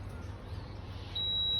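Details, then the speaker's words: Toyota Altis with factory CNG: a single high-pitched warning beep of about half a second over a low idle when switching to gas; the gas ECU is locked, fixed by remapping it. "นี่ครับอาการอาการของเา้าคือเราปลดเข้าแก๊สแล้วมันจะร้องตี๊ดๆอ่ะเมถ่ายตรงนี้ให้เห็นหน่อยครับแก๊สมันจะร้องแบบนี้นะครับอันนี้อาการก็คือกล่องแก๊สล็อคนะครับ"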